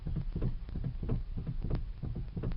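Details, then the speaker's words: 2008 Ford Escape steering, key off: dull, uneven pops and clunks as wheel is turned about a quarter turn; steering goes loose then tightens when driving. Steering U-joint suspected. Cause not confirmed. "This is with the key off. You hear that kind of popping noise coming out of there, and when you're driving it, it makes that noise"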